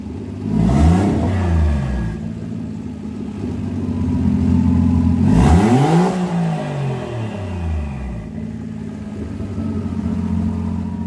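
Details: 1JZ-GTE VVTi turbo six in a 240SX, first start in 4 years after a refresh: new head gasket and studs, rebuilt turbo, 660cc injectors, Apexi ECU, new fuel lines. Smooth idle rising through clean revs and settling, no knocking or misfire.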